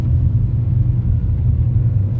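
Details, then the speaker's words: 1.6 Ecotec Opel Astra on LPG after faulty LPG injectors were diagnosed and the mixture adjusted (AFR 14.9 at idle), climbing a very steep hill under load: deep steady rumble, no misfire, stumbling or bucking; pulling cleanly. "çekişte normal tekleme yok Koklama zıplama Yok"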